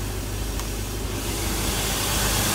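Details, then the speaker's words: LS 4.8 V8 swapped into 30-foot Bayliner with Mercruiser Alpha drive, Terminator X and shift-interrupt ignition cut wired in: deep steady rumble at about 750 rpm idle, no knocks or misses; smooth healthy idle. "all right so we're running now have it uh around 7 50"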